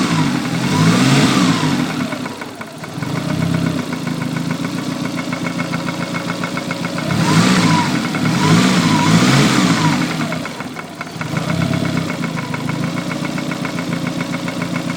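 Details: Lancia Delta Integrale 16v petrol engine idling and revving: steady tapping knock about four beats a second rising with revs; rod knock, crank or valves suspected, cause unknown.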